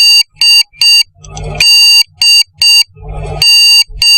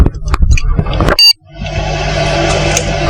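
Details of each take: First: Desktop computer with a RAM fault: groups of three sharp high beeps repeating continuously while the display light blinks and no picture appears, though the processor and everything else work; RAM fault beep code. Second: Desktop PC restarted after the RAM was cleaned and reseated: a single short, sharp POST beep, then fans spin up and display appears; normal boot confirming the RAM is now fine.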